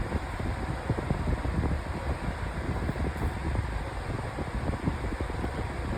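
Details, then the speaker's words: 2024 Lasko 1823 18-inch pedestal fan on high: steady fan roar with an uneven low thumping wobble underneath, an out-of-balance blade needing replacement. "I do need to get this blade's blade replaced."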